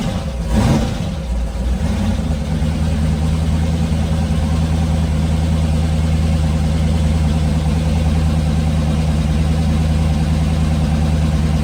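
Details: Twin-turbo LS V8 S10 on its first start after a rebuild: it catches and settles into a smooth, even idle with no knocks, ticks or rattles. Oil pressure was good, with no leaks; it runs healthy.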